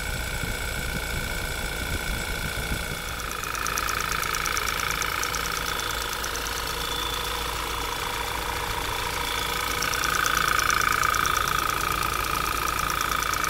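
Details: Audi 2.0 TFSI idling after light throttle blips: a quick regular tick around four per second and a rising whistle. Abnormal noise, source unknown.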